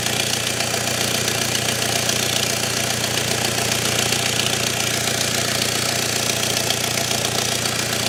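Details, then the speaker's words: BMW with smoke coming from the engine bay, at idle: loud hiss with a fast, steady puffing tick of about four a second. Exhaust is escaping from a physical leak. "But yeah, if I fire the engine up and wedge that in there, you'll probably see a little bit better. You'll probably hear as well. You can hear there is a physical exhaust leak."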